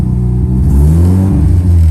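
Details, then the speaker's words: Rebuilt Mazda FD RX-7 rotary after fixing bad MAP sensor connection: engine climbs and settles smoothly on throttle blip with no stumble or lopey misfire; running on both rotors again, water temperature good. "it revs better it's not like it's on one rotor you can hear it"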